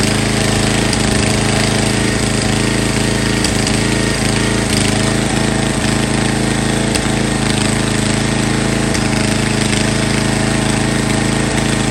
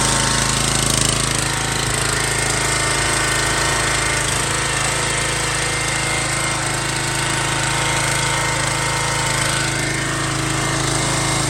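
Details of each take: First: MTD Yard Bug riding mower bought abandoned: scattered hard clunks every second or two over the engine drone as the drive jumps in and out of reverse, then sticks in reverse; frayed gear select/shift cable shown. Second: An MTD Yard Bug riding mower that sat for years runs after a spark check and a little added gas. It gives a steady, even small-engine clatter at constant speed without stumbling, running normally.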